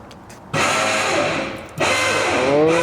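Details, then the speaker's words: V8-swapped Mazda RX7 fuel system priming: loud steady electric pump whir cutting in, sagging, restarting and rising in pitch; normal priming, pump loud. "that pump is freaking loud though was watching some of the videos on it earlier and that pump is really loud but it's not that loud in person"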